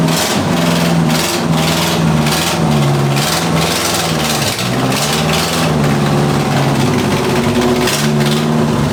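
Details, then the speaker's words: Toyota Corolla: loud, lumpy running with uneven surging pulses about twice a second, barely staying alive. The stock-style carburetor is believed to be the culprit. "So as you may be able to tell, this thing does not want to run. We're gonna try to fix that today. So we believe that this is the culprit."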